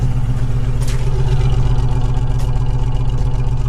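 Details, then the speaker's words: Toyota 4Runner revived and started for the first time, timing not yet adjusted: deep exhaust thumps at idle with an uneven, skipping beat; one cylinder misfiring, cause not confirmed. "Hear that miss? Give it a couple blurts."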